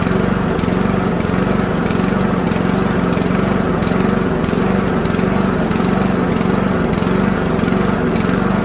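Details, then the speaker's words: Toro mower with Loncin 159cc TXP engine (Honda GCV clone), after a new spark plug: the engine still hunts up and down in quick, regular waves, surging. "definitely not stopped so now I'm going to show you how to carry on on this job and get to the part that makes the lawnmower search"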